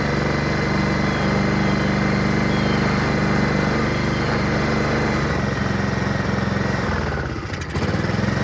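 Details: Honda HRR216 Harmony II QuadraCut push mower, no blade fitted, after starting spray: steady, buzzy idle for several seconds without stumbling, then a brief dip; engine runs, normal idle.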